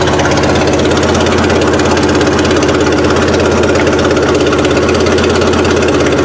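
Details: Suzuki Sidekick after swapping the old 8-valve engine for a 16-valve, first run with timing set around 8 degrees BTDC: steady, even idle with a quick uniform beat, no misses or knocks; later a fuse blew, suspected harness short.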